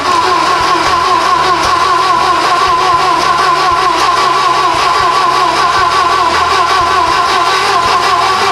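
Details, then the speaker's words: Volvo 240 at first start after turbo manual swap, with the leaking cold-start-injector fuel rail replaced and the starter plugged in; steady even mid-pitched hum, no knocks, misses or obvious leaks; normal running. "well that was encouraging it runs it didn't blow up so it's not really leaking anything that we can tell"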